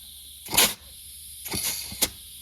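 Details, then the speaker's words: 68RFE transmission air test at 30 psi on the low-reverse port: short sharp hisses of air with no clutch-apply thump, unlike the other clutches, which engage. Air is bypassing the low-reverse clutch; piston seals or a check valve are suspected. "It's engaging low reverse. Nothing. The air is just bypassing. You should be able to see these clutches engage when you do it."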